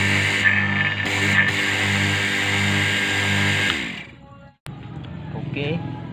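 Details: AC vacuum pump that leaks oil and pushes oil up into the manifold, run for a test before teardown: a steady motor hum with coarse, uneven pulsing three or four times a second, then it shuts off; it runs rough.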